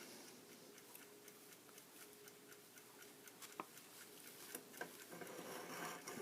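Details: Antique Ansonia Plato flip clock, made 1904–1906, excellent condition; light, quiet tick about three to four times a second, steady and unhurried in a quiet room; movement sounds healthy.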